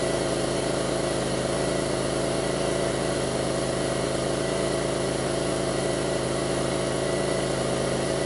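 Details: 2002 Pontiac Grand Prix 3800 with rough idle and bogging, no check-engine light, alternator overheating and a faint intermittent thump pulling the idle down: lumpy idle, irregular thumps, occasional speed sag. Rough idle, cause not evident.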